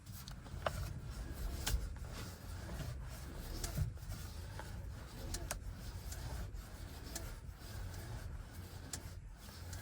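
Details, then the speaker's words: 2023 Chevy Bolt EV, nearly new: scattered sharp clicks and faint creaks from steering column every time wheel is rotated one way, also creaks over bumps; worse after dealer replaced a support tie rod, source unknown. "So, as you can hear, it does that literally every time I uh rotate the steering wheel in that way. And sometimes I'll just hear it randomly now when I'm driving and I hit a bump or something and just creek."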